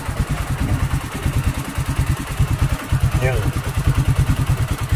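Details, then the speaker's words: Vintage Win 125 motorcycle after replacing a rusted non-original steel spark plug cap: steady single-cylinder thump at idle, even pulses, no misses, loud; normal idle. "Ay meron start natin. Naalakas dahil sa naka-dextos lang siya eh."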